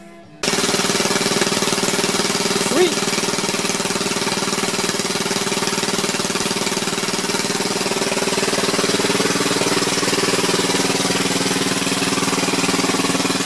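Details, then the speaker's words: Gravely 526 single-cylinder engine after carb cleaning, fuel line replacement and further carb tuning: even, rapid chug at steady speed with no misses or surging; normal idle, purring. "Listen to that baby purr. I tuned the carb in a little bit more off camera. Just a few seconds after the first clip. It's running great."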